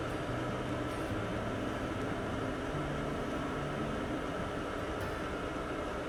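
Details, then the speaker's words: Campervan diesel heater running after a few minutes of warm-up: smooth constant fan rush over a low steady hum, no surging, ticking or rattle. Normal running. "Here's an idea of the effectiveness of the heater in real time."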